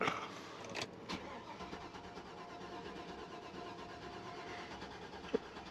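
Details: 2003 Chevy Avalanche crank no-start, cam and crank sensors already replaced and RPM signal present: steady starter churn with a faint even pulse that never catches even with brake cleaner in the intake; no spark suspected, unconfirmed.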